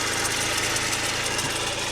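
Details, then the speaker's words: Golf GTI 16-valve, bought as a non-runner, at idle on first start: shrill, pulsing squeak over the engine; owner suspects the auxiliary belt tensioner, not confirmed. "But I think it's actually the auxiliary belt tensioner that's squeaking."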